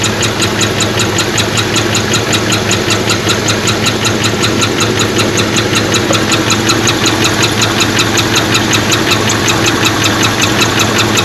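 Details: 1977 Pontiac Trans Am four-speed, first running in about 17 years, plugged pushrod replaced and two rockers not oiling: sharp, even ticking about two to three per second over a steady idle. Ticking at idle; possible exhaust manifold leak.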